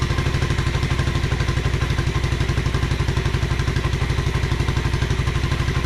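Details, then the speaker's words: 1986 Honda Fourtrax 125 after carburetor cleaning: steady, even single-cylinder putter of about four beats a second, no misses or surging; clean, healthy normal idle. "yeah that sounds great though"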